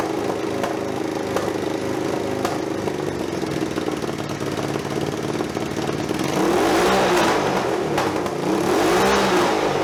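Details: Budget scrambler motorcycle exhaust after packing wadding at the holes: loud, raw bark rising with each throttle blip, gases escaping from other holes; silencing still not effective.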